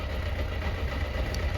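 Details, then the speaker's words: Motorcycle warmed up, idling during a pre-MOT exhaust check: steady low throb with an even beat, not over loud, and no ticking at the manifolds; the exhaust noise passes. "so the bike's warmed up tell by the noise level speaking normal volume you can hold the conversation yeah I'd say that's passed it's not over loud"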